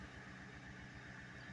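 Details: Mercury Grand Marquis LS, 73,732 miles, just started after a new fuel pump was fitted (the old one wouldn't run). Quiet, steady low rumble at idle with even pulses and no stumbles or knocks; normal idle.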